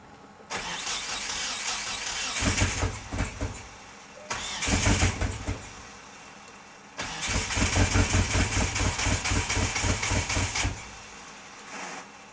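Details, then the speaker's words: DSM four-cylinder, first running in three to four years on a self-made wiring harness, cranks and catches into an uneven, lumpy run with irregular stumbles; suspected firing on only three cylinders, not confirmed; rough running. "a lot of people said it sounds like it's missing maybe it's uh not firing on all four cylinders sounds like it's probably it sounds like it's probably firing on three"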